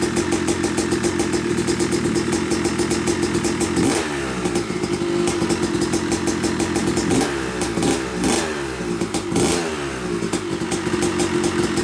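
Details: Yamaha YZ250 two-stroke (270cc/250cc) motocross bike, first start after a full engine rebuild (bottom end, transmission, bearings, clutch, power valve), took a few kicks: crisp crackle blipping and revving cleanly, settling back without misfire or knocking; smoke from assembly oils normal; runs normally.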